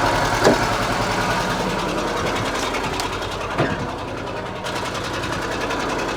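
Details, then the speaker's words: Żuk van engine first run after cylinder 4 exhaust valve seat repair and bent pushrods, at idle without throttle: lumpy, uneven idle with stumbling beat, not firing on all cylinders; owner suspects ignition. "oh yeah still not running on all but I think it's ignition related"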